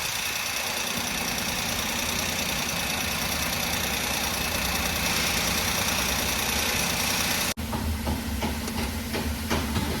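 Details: 2007 Maruti Alto stopped after running 5 km: steady cranking that never catches, hot no-start, starts after about an hour; no fault codes on scan; traced to swapped throttle position sensor wiring.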